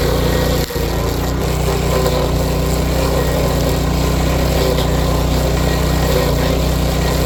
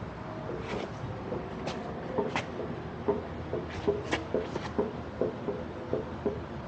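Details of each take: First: Power King stump grinder cutting a stump after its grinding wheel bearings were replaced and the teeth sharpened. Steady engine drone with no knock from the wheel; the clutch growl is considered normal. Runs smoothly. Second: Power King stump grinder after cutting: irregular knocks and rattles over a low growl as the grinding wheel spins, felt through the machine, yet no shaft play can be felt. The owner suspects flattened or broken grinding-wheel bearings.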